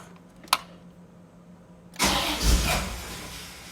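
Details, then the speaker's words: Bone-stock 1989 Corvette, 77,000 miles, on its third fuel pump: click, then engine catches with a surge, sags and stumbles, barely staying running, strong raw-fuel smell; rough running, owner thinks it is flooded, cause unconfirmed. "like it stinks it's horrible i can't even keep it going it's my whole garage now smells like gas"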